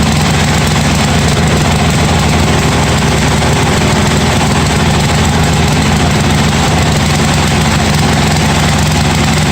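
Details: 1982 John Deere 108 lawn mower being built into a mud mower, first start after fitting a different carburetor: steady, low single-cylinder thump at an even pace with no hunting or misses, running smoothly.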